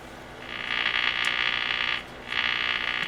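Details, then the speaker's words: Emerson Model 505 AC/DC/battery radio on the bench during restoration: two raspy, high-pitched buzz bursts about a second and a half long are heard through the speaker. Interference picked up from a nearby light, which is then left off. "so we'll leave that light off so we don't have to listen to that going buzz buzz buzz"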